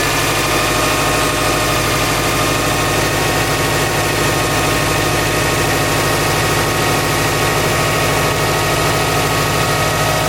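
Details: 2006 Subaru Legacy GT with a weak battery, just jump-started with an Interstate PWR7020 lithium jumper: engine settles into an even, steady idle with a smooth low throb, no misses or knocks. Normal idle.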